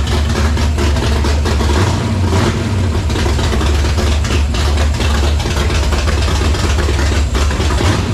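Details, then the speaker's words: Foxbody convertible with a supercharger and a rebuilt carburetor, running on choke: heavy, low rumbling idle that surges and wavers unevenly. The rough idle is blamed on the carburetor; owner suspects something plugged in the mid-range circuit. "so I think we've determined it's the carburetor starts with the choke but there's got to be something plugged in the mid-range"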